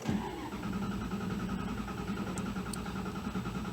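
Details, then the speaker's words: 2001 Dodge Dakota with a faulty, incorrect-spec battery, starter load test: engine cranks slowly and laboriously, voltage falling from about 11.7 to 9 volts, cranking speed dropping each attempt; weak battery, not a parasitic drain. "Engine's cranking real slow now. Dropping down to 9 volts. And we're going to do it one more time. Yeah, you can definitely hear the engine cranking speed is going down."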